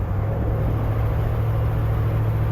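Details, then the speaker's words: Ford F100 390 FE V8 driving with the faulty vacuum advance diaphragm out of play: deep, even rumble that pulls smoothly under throttle with no hesitation; owner thinks timing may need backing off. "hesitations at work throttle running fine but like I said the big problem is going to be is it's not going to run as well as it could if the vacuum advance were in play"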